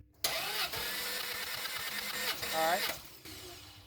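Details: Ferrari F355 engine cranking at full throttle during compression test before engine-out belt service: steady starter churn with even compression pulses, no hiss or weak beats; cylinders reading about 180 psi, very consistent.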